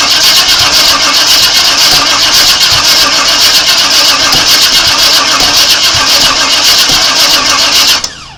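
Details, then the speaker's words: 1997 Chevrolet Suburban that sat broken for years, with fuel confirmed in the rail: steady cranking at about four beats a second for eight seconds that never catches, spitting and sputtering; owner suspects ignition timing is off. "yeah the way it's spitting and sputter and it tells me it's trying to fire at the wrong time"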